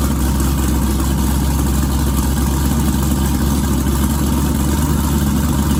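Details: Twin-turbo 1969 Camaro pro mod, first start since the incident: loud, deep, uneven lumpy running; owner suspects running out of gas.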